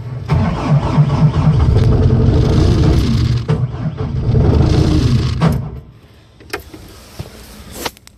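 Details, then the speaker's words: Bobcat S250 skid steer diesel with about 2200 hours, cold start after the glow plug wait: steady rhythmic cranking at about 220 turns a minute drags on for seconds, roughly 20 cranks, before the cold engine catches. Hard starting. "finally went friggin 20 cranks later so yeah there she is guys"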